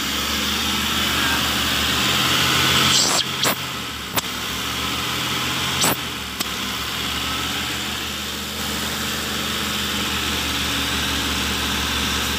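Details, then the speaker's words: Mitsubishi Colt 120 SS pickup, idle over 2,000 rpm and oscillating: high idle with a slow rise and fall over a steady hiss and sharp clicks; hunting idle, throttle body stepper motor/idle speed control suspected, not confirmed. "Oke, untuk RPM-nya, nilainya lebih dari 2.000, ya, RPM-nya lebih dari 2.000 dan berosilasi."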